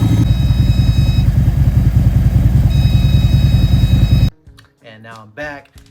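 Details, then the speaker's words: Harley-Davidson V-twin with 30k miles, idling: thin steady high whine over the engine; owner believes fuel pump straining against dirty clogged in-tank fuel filter, replacing filter fixed it. "you guys know that I have a really bad sound coming from my fuel pump is what I believe"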